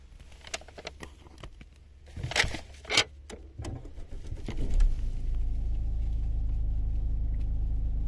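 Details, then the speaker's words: 2019 Opel Grandland X that no longer read its key, started by emergency procedure with key in reader slot, brake pressed, start button pushed; clicks, then clean catch and smooth even idle; normal start and idle. "partita mi raccomando schiacciate il pedale del freno e schiacciate il pulsante start e stop"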